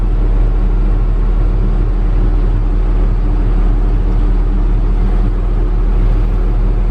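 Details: Logging heavy equipment diesel after routine maintenance service; deep steady rumble with an even firing note and no knocks or misses, running smoothly.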